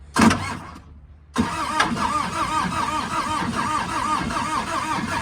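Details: Bobcat 751 skid steer with a Peugeot XUD9 diesel and Bosch mechanical injection pump, 1004 hours; it previously overheated, and the head was redone but it kept using coolant or running hot. A short crank, a pause, then a longer, labored crank; it never catches. The owner suspects a cracked head.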